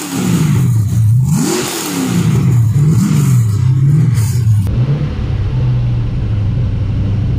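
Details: First start of an LS1 V8 in an XG ute, with a better carby and a custom full exhaust without a further muffler; mellow even burble at idle with clean quick blips, revving freely, quiet down low; normal idle and revving.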